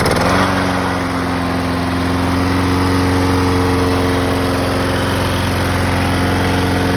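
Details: Tecumseh small single-cylinder mower engine, after its hidden carburetor idle jet was cleaned to cure surging, settles to a steady, even hum with no hunting or surging; normal idle.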